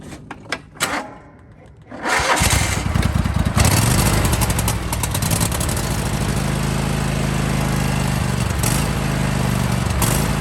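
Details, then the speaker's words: John Deere/Husqvarna/Craftsman lawn tractor with Kohler engine surging: speed rises and sags about every two seconds; fuel starvation, fix starts with replacing the fuel filter, then carburetor and jet cleaning. "So if your lawn tractor is surging like this,"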